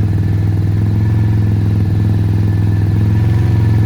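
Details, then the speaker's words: Venom x22r 250cc motorcycle on its first start, cold on choke, slight throttle of about 1/8: steady, deep, even exhaust beat at a gentle fast idle with no knocks or misses; healthy warm-up. "So you want to let your bike kind of warm up first. So say about an 1/8 on your throttle with your hand. Just let the bike rev up, not high, but warm up."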